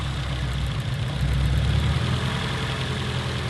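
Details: Car with check engine light and misfire on one cylinder, idling while ignition coils are pulled one at a time to find the dead cylinder; uneven lumpy beat about three to four pulses a second, rough idle.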